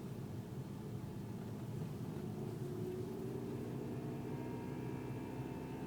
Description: Buzzing sound at 2k rpm and it's not the infamous wastegate rattle - Golf GTi Mk6 2012.